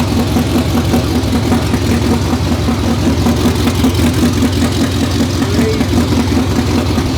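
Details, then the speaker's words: 2019 Roush Stage 3 Mustang V8, first start after engine rebuild: loping, uneven chop at two or three pulses a second, barely running and needing a little throttle; cam position sensor codes, apparently circuit codes, possible harness fault. "all right guys so we got the car started i you have no idea it's not quite running on its own i was having to give it a little bit of throttle to keep it running we have a couple of codes for cam shaft position sensors etc"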